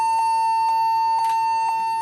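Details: Lenovo G40-80 (80KY) laptop booting from its hard drive: a continuous steady high-pitched beep of about one kilohertz, a boot fault; memory suspected but unconfirmed.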